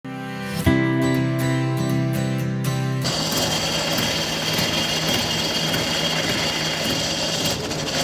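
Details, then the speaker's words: Diesel with a jammed crank (pilot) bearing: after a short musical lead-in, a steady harsh grinding rasp runs over the engine; the clutch is opened, the bearing and damaged clutch plate are to be replaced, and the release bearing is fine. "यह जो आपने आवाज सुनी है तो यह कब आती है जब क्रैंक बरं जाम हो जाता है उसके बाद ही यह आपको आवाज सुनने मिलती है"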